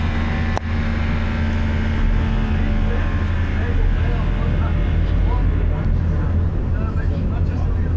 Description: First Manchester Volvo B9TL, which has a loud buzzing noise that goes on and off all of the time! I don't know what the noise is haha!